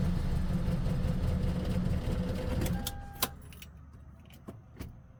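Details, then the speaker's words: Gen 7 Toyota Celica before fuel pump replacement, had cylinder 1 lean misfire and lost fuel trims after battery disconnect: chugs low and unevenly for a few seconds, then dies to clicks; owner suspects fuel pump, unconfirmed. Rough running and stalling. "I plugged it back in and it just doesn't remember the fuel trims, and it's not even really doing anything now."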